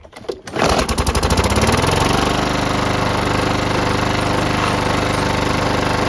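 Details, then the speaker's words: Free used lawn mower engine: catches after a second and runs loud with a coarse, uneven pulsing beat; rough running, engine has problems. "Okay, that one's got some problems. That was quite loud."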